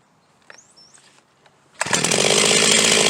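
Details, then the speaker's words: Huztl G366 (Stihl MS361 clone) chainsaw, warm, suspected plugged fuel tank vent, restarted with fuel cap popped open: quiet handling, then fires and settles into a steady high buzzing run; starting fine suggests the vent is blocked. "we'll pop the fuel cap show you how it starts right up okay and if that is the issue if that solves it then we'll go ahead and replace the fuel"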